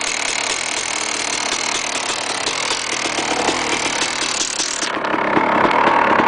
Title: KTM 380 SMR BAD Engine noise